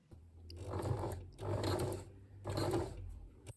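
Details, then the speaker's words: Sewing machine sewing thick-fabric trouser belt loops: low strained groaning bursts and buzzing, slowing and stalling, reverse stitch stuck; machine labouring on overly thick fabric. "And yeah, you hear that buzzing? It's kind of just stuck and refusing. So all the noises you're hearing here are the sounds of a very unhappy machine struggling with thick fabric."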